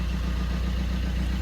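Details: Fiat 500 diesel with replacement engine of unknown history, after replacing the too-far-gone DPF; previously it smoked heavily on startup. Steady, even diesel clatter at idle with no misses, hunting or stumbles; healthy and settled, normal idle.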